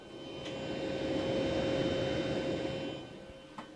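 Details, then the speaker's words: Bluetti B300K expansion battery with AC500 head unit, right after a max-rate recharge test, mic next to the battery: quiet steady fan whir with soft airflow hiss, about 45–46 dB, no rattle; battery cooling fan running normally. "that fan is in the battery itself uh not in the ac500 head unit so let's see how loud that noise is 45 46 DB so definitely audible"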